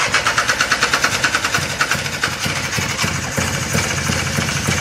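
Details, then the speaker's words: 1995 Polaris Sportsman 4x4 two-stroke ATV, sat for years, restarted after choke use: uneven, sputtering two-stroke with lumpy pulses that smooth out as it's revved; flooded, loaded up with excess fuel and oil. "is blowing chunked out as it spins around. Clear it up a little. I loaded it up. does run."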